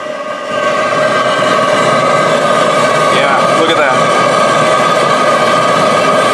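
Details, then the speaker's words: Homemade waste oil heater burning old engine or fryer oil: loud steady roar with a constant hum on top and no sputtering or surging; burner running cleanly with a happy flame that should be all blue inside. "so there we hear that happy Flame now it should be all blue in there"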